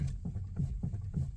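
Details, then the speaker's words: Free car with some play in the steering: dull, low clunks about three times a second, a knocking from loose steering play; owner worries about possible head gasket issues. "you can hear it clunking um it's fun I like it"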